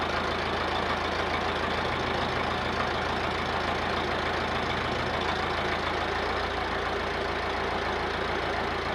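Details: Massey Ferguson 50HX backhoe loader with 4-cylinder Perkins diesel, hydraulic fluid just topped up, started to test hydraulics: low even diesel clatter at steady idle, no misses or odd knocks; normal diesel idle.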